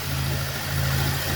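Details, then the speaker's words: Cold engine just after first start, bearing knock gone once oil pressure built: low, even idle hum with no knocks or misses; engine runs round and steady. "Redondinho."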